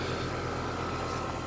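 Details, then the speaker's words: Newly installed A/C condenser (replacing a loud Goodman reciprocating Bristol unit), just started: steady even hum with soft constant tone, no knocking or rattle; not the quietest but quieter than the old unit, running smoothly. "man it's already it's not the quietest model for these but it's definitely quieter than the good one that came out of here"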